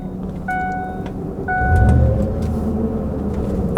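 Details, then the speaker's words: Ford truck with the 5.4 V8, driving: a low, steady roar from the rear that builds as it drives, which the owner says has been worsening over time. Rear differential pinion bearing roar. "You hear all that roaring right there? All that all that rotation action."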